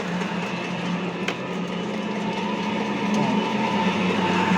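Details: Pellet mill warming up after slightly tightening the rollers, feeding material: steady rumbling hum and low drone with no sharp periodic knocks, so the rollers are not striking the die.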